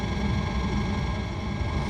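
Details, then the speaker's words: RV Hydro Hot diesel heater burner after DIY annual service: steady, even low roar with no misfires, pops, sputters, leaks or rattles; normal operation. "sounds like steady operation with no misfires or anything all right sounds good"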